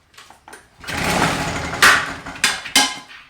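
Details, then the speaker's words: Victa 2-stroke PowerTorque mower after a no-spark fix and coil reinstall: several short pull-cord whirs spin the engine without catching because the fuel line was not connected properly; reconnecting it is the fix. "oh I actually can I can actually see I haven't connected the fuel line properly so just reconnect that fuel line properly"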